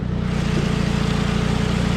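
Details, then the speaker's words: 2002 Saab 9-3 convertible engine running with a steady, even beat and smooth hum, no knocks or ticks, sounds healthy; a small exhaust leak was noted separately. "this engine sounds pretty good coolant levels are at a normal rate"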